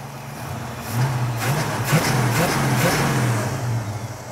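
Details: 1967 Mustang during engine tuning, after a timing/idle adjustment: from idle, quick throttle blips rise cleanly and drop straight back to a steady idle without hesitation or stumble. The alternator, being overdriven, makes odd noises; normal throttle response.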